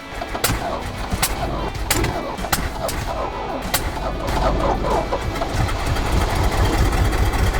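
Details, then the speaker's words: 1968 GMC truck with 427 V8, first start after sitting 30+ years; sharp irregular pops while catching, then settles into a steady, even rumble and smooth idle. "Once it started to fire and it came on, it smoothed right out, and it was back to that badass 427"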